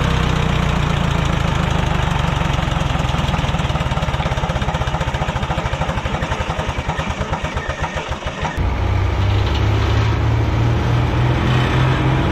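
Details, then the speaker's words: Wisconsin VH4D engine on an abandoned Bandit model 65 wood chipper, after engine repair and copper washers replacing neoprene ones: strong, deep, even beat that shifts pace partway, no knocking; starts up great, everything runs really well. "starts up great um everything seems to run really well"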